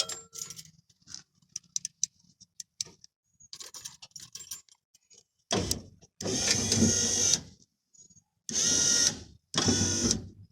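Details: 1986 Ford F350 power window motor after the 11mm ball bearing repair replacing worn plastic bushings that made it spin: after some clicking and handling, the motor runs in smooth, even bursts with a steady whir; normal operation.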